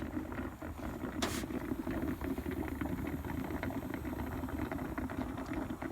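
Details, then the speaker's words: Car running hot, idling with hood open: steady idle with irregular bubbling, crackling gurgle as coolant boils; engine overheating, cause not yet found. "But yeah, we're gonna I'm gonna check that out and see why. If you listen, you can hear it bubbling."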